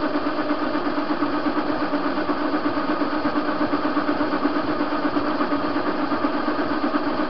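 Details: TV-16 lathe turning a hinge pin on an unstable bed: steady cutting hum with a regular knock about three times a second, matching spindle turns. Play in the chuck.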